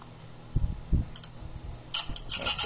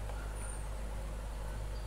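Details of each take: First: Old small fan running below normal speed, humming low with harsh scraping bursts coming and going from the shaft rubbing in dry, gummed bushings; oil had been added before and it stayed like this. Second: Old electric fan, after cleaning bushings gummed by cooking oil, running at low speed: smooth, even low hum, no rattles or scraping.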